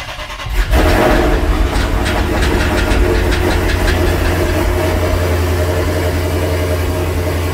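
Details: Dodge Charger/Challenger/Chrysler 300C after installing high-flow fuel pump, first start with pump access open: quick crank, clean catch, then steady smooth idle with no hesitation or misfire; normal start.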